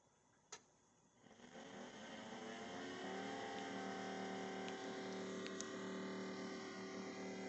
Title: Noisy LG fridge caused by frost